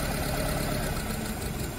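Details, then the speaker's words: Nissan Tiida/Versa misfiring with no fault code, injector 2 disabled with a scan tool: a low, uneven idle that sags and hunts as rpm drops and fluctuates, so cylinder 2 is working. "same thing is trying to stop the engine engine rpm drops and it starts fluctuating uh so it means that number two is working as well"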